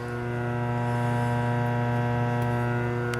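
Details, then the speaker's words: Bench isolation transformer used while repairing a 1951 GE Model 410 AA5 tube radio: a loud, steady low buzz with a ringing overtone and no pitch change, the transformer humming badly at mains frequency. "as you can hear it's hums real bad"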